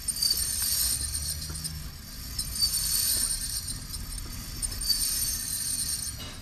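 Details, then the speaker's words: 2007 Honda Fit on test drive, noise from left side: high thin metallic squeal in bursts every couple of seconds over road noise; brake-related, not differential; front brake pad wear indicator strip contacting rotor, pads worn; brakes replaced. "so this most likely sounds like something one hundred percent break um break related"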